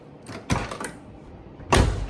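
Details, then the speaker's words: 1969 Olds 442 convertible front door after new door panel and water shield fitted: latch click and rattle, then one firm, deep shut; the earlier clunk is now hushed. "I guess once you put the panel on and the uh Water Shield it hushes it up enough so sweet"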